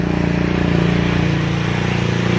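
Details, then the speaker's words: GY6 50cc scooter after carburetor swap to a blue carb, enriching valve still on: smooth, even putter with no misses; idles cleanly though slightly high, idle screw then backed out. "oh it already sounds a thousand times healthier it's idling very good now yes it's got a beautiful idle"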